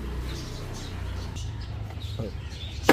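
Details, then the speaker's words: Car power window (Polo mentioned): low motor hum with scraping, rubbing drag as the glass lowers and raises; fix is removing the door pad and oiling the window motor and glass channel. "போலோலலாம் கிளாஸை இறக்கிட்டு ஏற்றும் போது ஒரு sound கேட்கும்."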